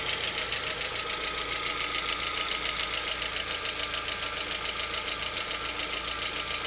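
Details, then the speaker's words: Lada Vesta, 64,000 km, engine around 50 °C during warm-up: steady light tapping a bit over two knocks a second on a smooth idle; absent when cold and gone at operating temperature, cause unclear. "Что случилось, вот непонятно. По мере прогрева проходит. То есть не совсем прогрелся, градусов 50 где-то."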